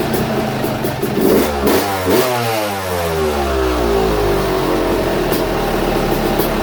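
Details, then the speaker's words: YZ250 two-stroke after top end, higher-compression 5UP head, on 60% race fuel/40% pump gas: crisp crackle, revs sweeping up and dropping back cleanly, sharp pickup, no knocks or rattles; healthy. "And with that 5UP head on it, it's going to sound a little better. A little higher compression head. Well, definitely got more compression."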